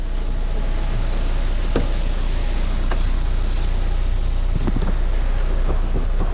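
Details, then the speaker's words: Renault Kangoo 3 at 242,000 km: irregular hollow knocking over a low engine rumble while turning the steering wheel, from a completely worn-out steering box that is to be removed and replaced. "Direksiyonu çevirirken tak tuk ses yapıyor."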